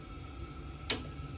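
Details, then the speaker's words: Ideal Logic Esp1 combi boiler, L2 ignition fault, gas supply confirmed: single sharp tick as it tries to light with no spark crackle at the generator lead; no spark, faulty spark generator found. "So, as it tries to light, can you hear it going? You'll see a you'll see a spark jump. And what we're getting there is no spark."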